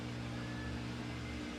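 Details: Samsung steam VRT washer drain pump after it had stopped dead and overheated, no new parts: steady low hum holding even for under two seconds, no rattle or labouring; draining normally.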